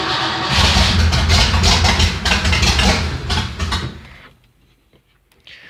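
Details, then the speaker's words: Ford Fairlane V8, freshly rebuilt and unadjusted, long unrun, manual choke, neutral, pedal pumped: steady rapid starter churn about three turns a second drags on several seconds before trailing off; hard start, choke possibly on too much. "Well, it fired off. I think the choke might be on too much. Well, it is quite obvious this hadn't run in a while. Well, it did a late start."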